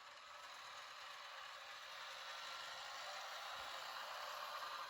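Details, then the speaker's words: Henglong Panther G RC tank drive train after installing bearing axle supports, engine sound turned off; light, even gear whir at a steady pitch with no clicking, grinding or binding, and the gearbox not warm at all; normal. "So this means that there is still no binding, and also one reason why I turned the engine sound off, so we can hear the gears, and everything sounded normal. I did not hear any kind of binding or struggle during our test."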